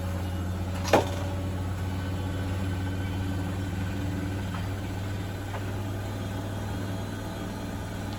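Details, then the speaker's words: Bosch WFP3300 washing machine with new drum bearings and door seal, on 1600 rpm spin with citric acid test wash: even low hum, no rumble or grinding, not super silent but quiet; tumble dryer clacking in background; normal spin. "it's not super silent as it goes through as it goes through the spin and increases the ribs but it's pretty good it's not ringing in my ears like the other machines"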